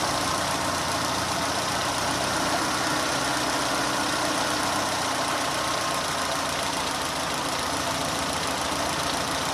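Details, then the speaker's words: Renault on LPG after swapping noisy 3-ohm Atiker injectors for 2-ohm Vikars injectors: steady, even idle with the ticking injector rattle gone; normal idle without injector ticking. "Evet arkadaşlar enjektör sesi bayağı bir kesildi yani o şıkırtı sesi yok şu anda"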